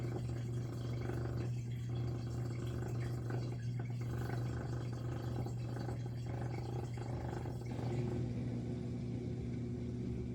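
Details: Miele G6625 dishwasher, bought April 2018 (about 7.5 years), owner hears loud grinding from circulation pump motor at bottom, filter and non-return valve clear: steady low hum with water sloshing, no grinding or rattling; drain pump working normally.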